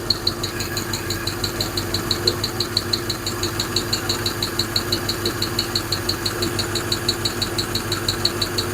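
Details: Hemi V8 idling with a sharp, regular ticking about three times a second; top-end valvetrain tick, suspected wrong pushrod lengths from mixing 2009 Eagle and 2008-or-older parts, cause not confirmed.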